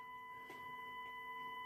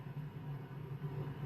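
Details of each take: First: Impact 60 W guitar amp with Partridge transformers, heavily modded and worn, during restoration assessment with a faulty valve socket: steady low hum with thin whine between thumps; reverb circuit humming. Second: Impact 60 W guitar amp with Partridge transformers, heavily modded, powered through a 100 W bulb current limiter at about 159 V, signal generator removed: only a faint steady low buzz, no filter-cap hum; some leakage noted.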